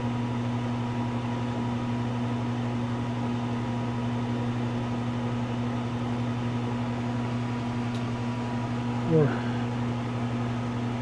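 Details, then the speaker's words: 33-year-old microwave running 25 seconds after replacing the failed magnetron, plus new fuse, diode and capacitor; draws about 990 W versus 275 W with the bad magnetron; steady low mains hum and fan whir, no buzzing or arcing; normal operation. "Now that it's all good and in good working order again, I'm going to see what it does now. We'll do 25 seconds. Oh, that sounds awesome."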